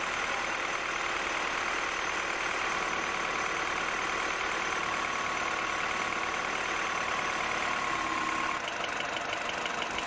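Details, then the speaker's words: 2007 Mini One 1.4 N12 Valvetronic, which hunted at cold idle, after Valvetronic solenoid replacement: a small petrol engine idles evenly with a smooth, unbroken hum, no hunting or misfire, revs just above 1,000. Normal steady idle. "Okay, so that's a little bit better. The Valvetronic has to adjust itself and get some oil in it. But at the moment it's quite steady, which is good news actually, and the revs are just above 1,000."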